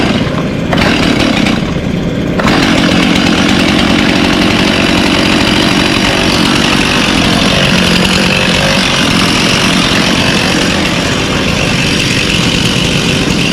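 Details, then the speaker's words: Craftsman 18-inch chainsaw, rebuilt after a dirt dauber nest, started on choke: a small two-stroke that fires up and holds a steady, even buzz with no misses or surging, so it is running healthy after the rebuild. "This was my grandfather's. It was a Craftsman. But anyway, had dirt dauber nest and everything. I rebuilt it, and it runs good now."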